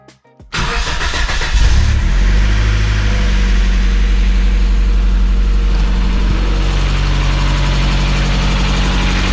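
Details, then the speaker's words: 1996 Mazda Miata after replacing worn lifters and fitting NGK spark plug wires, jump-started: cranks, catches quickly, brief tick until oil arrives, then even idle with no lasting tick; normal startup and idle. "so as you heard it start to tick a little bit off the bat which is what Miatas do but it quieted down when it got oil in it which uh that's what they're supposed to do"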